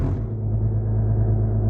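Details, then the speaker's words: 2008 Mercedes-Benz ML320 diesel, 185,000 miles, in cabin at idle with door closed; deep steady booming drone, no knocks, goes away under load and in reverse; suspected collapsed motor mounts, later replaced. "under load it goes [Music] away in Reverse it goes away under a load feels like it's got a collapsed or broken motor mount"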